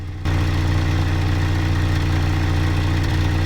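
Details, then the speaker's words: First-generation Honda Fit during ignition coil swap test, coil moved at cylinder one: uneven, sputtering exhaust note at idle; engine misfire at idle, suspected weak ignition coil on another cylinder. "go ahead and start the car so I can already hear the motor misfiring so I know it's not cylinder one"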